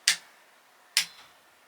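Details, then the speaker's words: Torque wrench set to 8 Nm tightening a V-brake bolt on a bicycle in one continuous pull; three sharp, crisp clicks under a second apart in a quiet room as it breaks over at the set torque. "We're going to pull our torque up until we hear our positive clicks. Once we hear the clicks, then we know we've reached our torque."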